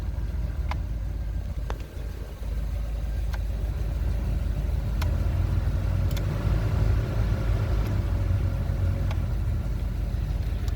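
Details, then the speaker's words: 2003 Chevy 2500 at idle after new climate control module and harness repair: steady blower fan whir over low even engine idle with a few light clicks; blower comes on and works normally. "okay blower one i have no blower now there it goes now i got blower"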